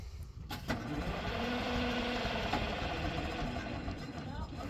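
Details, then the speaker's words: Old excavator that died over winter, starter blew apart and was field-fixed, batteries just charged, fourth or fifth attempt: the starter churns at an uneven three to four pulses a second with no catch; it cranks but won't fire. "hopefully it gets going, but if not, we'll be dragging this thing out of here. Okay, I think this is probably our fourth or fifth attempt."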